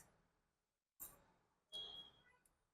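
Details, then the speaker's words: Bike GPS tracker's 12 V relay, ignition on, relay trigger wire grounded: two crisp clicks about three quarters of a second apart over near silence, showing the relay works and cuts the vehicle's supply. "जब आप इसको ground करोगे तो ये इसमें आवाज आएगी एक कट कट की इसका मतलब ये है कि आपका रिले काम कर रहा है।"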